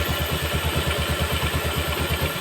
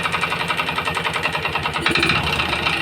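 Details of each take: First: Yamaha Jupiter MX motorcycle after piston and connecting rod replacement, idling during break-in: steady even idle thump with cooling fan whirring, no knock or rattle, smoke gone; smooth healthy idle. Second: Yamaha Jupiter MX motorcycle that smokes, recently serviced, idling before teardown: light rapid metallic clatter ticking steadily over idle, no piston growl; later traced to damaged piston block and con rod.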